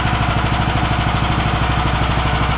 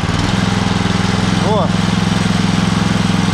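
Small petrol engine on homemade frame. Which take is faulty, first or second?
second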